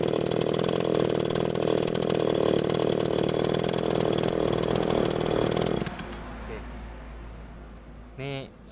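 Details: Small two-stroke agricultural sprayer engine after new spark plug fitted, carburetor being checked: buzzes at a steady, even speed for several seconds without stumbling, then shut off; runs normally.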